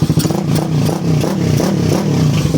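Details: Freshly built Suzuki Raider 180cc carbureted engine, 30mm Koso carb, 68mm block, head work, in break-in with only light blips, no smoke: short throttle blips rise and fall cleanly over a steady single-cylinder beat without clatter, a quiet, healthy engine.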